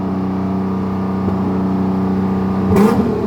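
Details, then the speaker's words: BMW E81 drift car, six-cylinder swap, fresh E85 fuel, RM Primis ECU on an untuned base map, warming up: smooth, steady hum with no ticking or clatter, sounding healthy. "Ja voi että se kuulostaa hyvältä. Vaikka eiku ei o säädetty yhtään, vaan mennään vielä ihan basemapilla vastaan."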